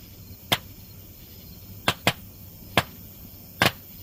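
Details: Burn barrel fire with an old broken laser disc player's circuit board inside: five sharp irregular cracks in about four seconds over a quiet background; capacitors on the board likely popping.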